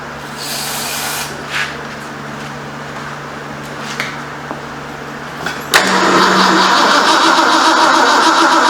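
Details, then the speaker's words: 1973 Ford Mustang Mach 1, 351 Cleveland, reassembled after months; cranking about 3.5 turns a second with no fire despite sprayed fuel, then a louder whir. Owner suspects no voltage to coil; unconfirmed. "We don't have any fire. Let me see if I got voltage to the coil."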